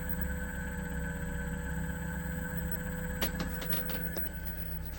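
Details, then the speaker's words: Cape Dory 25 sailboat converted from 6.5 hp diesel to Elco 20 hp electric motor, 48V batteries, running in reverse on the mooring at about 500 rpm, 4.8 A, about 300 W; smooth steady low hum with faint constant whine, no knocks; normal running. "So, this is the motor. I've got it running. Um, right now it's running at about 500 um RPM. It's running in reverse because I'm on the mooring and I just wanted to show the motor running and also so you can hear it."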